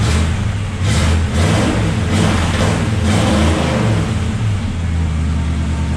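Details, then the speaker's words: Carbureted SBC V8-swapped truck with true dual exhaust, cold start in cold weather, possibly weak battery: deep rumble that lopes and stumbles unevenly while cold; carburetor runs poorly until warmed up. "With all that out of the way, let's fire this thing up, let it warm up because it doesn't like to run very good when it's cold."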